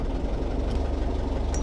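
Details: Perkins 4.108M four-cylinder 50 hp marine diesel, unstarted for six years, started after glow-plug preheat. Low, even clatter with a steady beat right after firing and no stumbling; purrs, water in exhaust, no smoke, alternator charging: normal idle after start.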